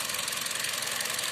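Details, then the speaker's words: 2014 Kia Rio at idle, individual two-pin ignition coils unplugged one at a time to find a failing cylinder: idle pulses unevenly with a rhythmic stumble in the exhaust beat, misfire while a coil is disconnected, recovering when reconnected. "retiramos vemos que el motor igual falla se escucha que falla lo colocamos nuevamente y empieza a trabajar"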